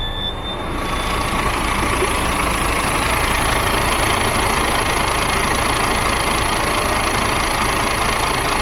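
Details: DAF CF truck diesel, model year 7, after BPV fault rectified. Engine catches within a second and settles into a steady, even idle with no misses or knocks; runs clean, normal start and idle.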